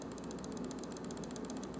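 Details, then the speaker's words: Logitech G502 Proteus Spectrum mouse modified with silent microswitches, compared with a stock G502: rapid, even, crisp quiet ticks at about seven per second with no rattle or double-click. "and then the stock one I mean just off the bat you can hear there's a distinct difference between the two mouses"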